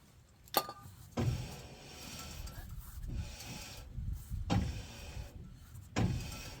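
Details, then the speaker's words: Dodge Dakota rear wheel turned by hand before rear brake replacement: rhythmic scraping swish about every second and a half with gritty grinding edge; worn rear brakes rubbing. "That brakes are shitty on this one too, aren't they? You can tell. You hear it rubbing."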